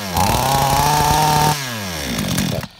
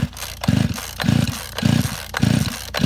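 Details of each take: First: Flooded chainsaw after drying and refitting a dry spark plug: engine catches and holds a steady high buzz about 1.5 seconds then revs sag; starts; carburetor found out of adjustment, needle possibly not holding. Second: Chainsaw flooded with wet spark plug, choke closed and ignition on: repeated pull-start bursts about every 0.6 seconds, engine never catching.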